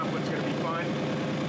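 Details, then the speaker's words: GMC Safari / Chevy Astro van: loud raspy puffing under the van pulsing with each exhaust beat, an exhaust leak at the muffler flange where two of three bolts are missing. "right here you can see that quote is missing that both was missing and i could actually feel the uh the exhaust coming out right here"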